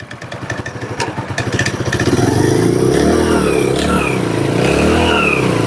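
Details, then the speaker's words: Hero HF Deluxe single after primary gear change to cure gear noise; in gear with throttle, steady beat rising smoothly, no gear whine; normal engine running in gear. "अब देखिए बस तो अब यहां पर देखिए इसके अंदर से कोई भी आवाज नहीं है"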